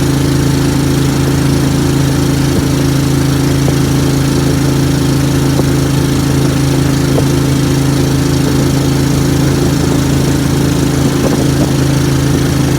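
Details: Briggs & Stratton Vanguard V-twin dual-carb Mud Buddy boat motor, freshly rebuilt after flat cam, first ride on water: deep steady drone with throbbing pulse off the carbs, slight stumble; running rich.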